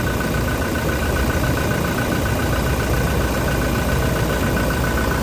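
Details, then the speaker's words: Toyota Innova Reborn diesel idling after replacing the slipping alternator pulley that caused a flashing battery light; steady smooth low rumble, no belt chirp or whine, quieter than before; charging now about 13.5 V versus about 12 V before. "Nah, terus bunyinya juga sudah sedikit lebih anteng ya dibanding yang tadi ya sebelum kita kita ganti poli ya."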